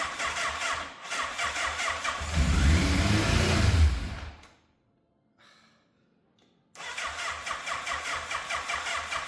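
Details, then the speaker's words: Yamaha FZ750, fire-damaged, 41,000 miles, non-runner, choke on, carbs primed: sluggish, uneven cranking catches briefly with a low rumble then stalls; starts then dies, owner suspects weak battery; later started with boost pack. "Okay, so it's still starting and then dying. So something tells me the battery might not be up to scratch, because it doesn't sound like it's trying to turn over quickly."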